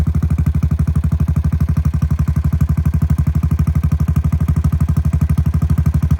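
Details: 2017 Honda Foreman Rubicon 500 IRS 4x4 single-cylinder ATV after a top-end rebuild, following submersion, first start; quick, even thumping idle with steady firing, no knocks, ticks or misses; normal idle.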